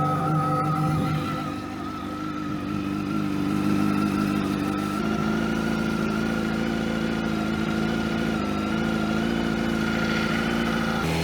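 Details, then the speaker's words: 2001 Kawasaki ZX12R barn find, running after the sticking choke was freed: steady, even engine note at constant pitch with no misses or knocks; normal running. "The main goal of this video was to get the bike started, and I think I nailed it."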